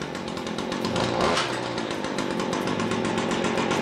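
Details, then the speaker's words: Stihl FS70R string trimmer, a pawn-shop unit being restored, started with choke, which throttle turns off: small two-stroke holds a quick, steady buzzing idle without stumbling or surging, "like a 125cc motorcycle"; clutch keeps the head still; normal idle. "So just good quality stuff here, guys. Listen to that. The thing's running like a 125cc motorcycle."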